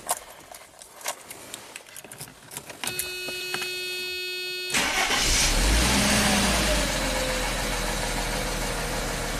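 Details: 1995 Mercedes E320 wagon, after the replacement crankshaft position sensor and a fresh oil change: starter cranks briefly, then it catches cleanly into a smooth, even idle with no knocks; normal start.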